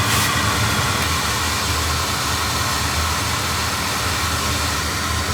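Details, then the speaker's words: Oil burner that was leaking oil, after an added cable that cured bad flame rollout: even, steady roar of flame over a low hum, no rumbling or pulsing; firing cleanly. "get a little L of here maybe that sounds different that sounds better"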